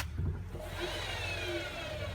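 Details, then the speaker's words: Bosch WAE24164GB/30 washing machine, drum turned slowly by hand via the belt after refitting the motor: soft, even rumble, no clunks or grinding, no crumbs inside suggesting a broken spider; healthy drum bearings. "sounds fine there's no crumbs in here which normally indicates a dud spider like that other one"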